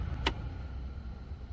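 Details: 2006 Ford Escape hybrid heater blower fan after replacing the rotted connector/plug (previously ran on high only); soft steady low hum with a brief click as it steps down a speed, no rattle or chatter. Normal blower fan on low speed.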